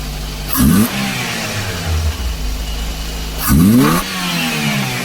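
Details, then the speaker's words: Daihatsu Dabbab (Hijet) with electronic throttle body, refitted with old sensor: two throttle blips, then the idle hangs raised and slightly wavering instead of settling because the throttle plate is not fully closing and needs pressing shut. "अभी फिर भी देखि स् थोड़ा ज्यादा ही है दरवाजे को थोड़ा सही से दबा के रखना पड़ेगा"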